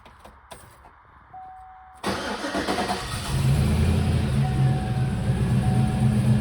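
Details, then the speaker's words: 2019 Silverado V8 with a smaller performance cam: short crank catches quickly into a strong steady rumble with no misfire or tapping, then settles to idle; it runs well with great oil pressure. "it sounds pretty good like I said it's got the smaller smaller Jam performance cam in it"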